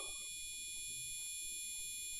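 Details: Gigabyte motherboard in a used gaming PC, heard through the board speaker cable: an unbroken high-pitched continuous long POST beep, though the PC still posts and boots into Windows 10.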